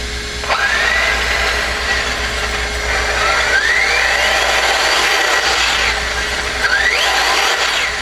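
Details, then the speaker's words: RC buggy during track laps, temperature checked around 206, topline oil added at servo: faint high buzz rising and falling with laps, smooth and even with no rattles; quiet, healthy running. "Let me turn off noise cancellation. See if you can hear how quiet this car is."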